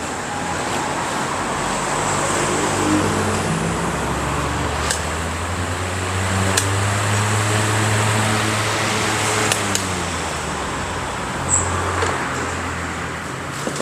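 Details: Sanshiro FS20 20-inch fan after repair (new bushings, shaft, oil felt and capacitor): smooth even airy whoosh over a low steady hum, no rattle, scrape or wobble; fan motor runs normally.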